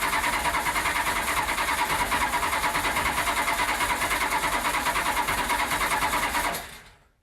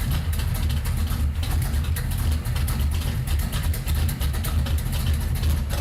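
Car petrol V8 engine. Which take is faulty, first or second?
first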